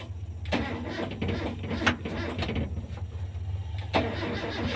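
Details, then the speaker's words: Car that is hard to start when the engine is hot: uneven clicking and short cranking bursts that fail to turn it over, then the engine catches once the starter engages. A faulty starter relay is to blame and must be dismantled. "jadi kasusnya cetik-cetik cetik-cetik tapi enggak bisa ngangkat kita matikan lagi kalau cetik-tetik nanti ini relaynya ya relainnya harus kita Bongkar"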